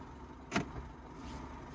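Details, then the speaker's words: Smart Fortwo 451 after fixing the sticking clutch actuator: quiet with only a very slight soft click at each shift into gear and reverse, no grinding or clunk; clean engagement. "nice and quiet so"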